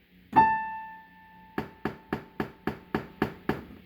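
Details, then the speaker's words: Casio PX-850 digital piano: striking the A5 key (also Ab5) gives a sharp popping sound at each note's attack, louder with harder strikes, softer with gentle ones, heard from the left speaker only; glitch started recently. "the issue is that when you use the hit the a five key it makes a popping sound do that [Music] okay and you see that the sound would be louder if you hit the key harder so you can try"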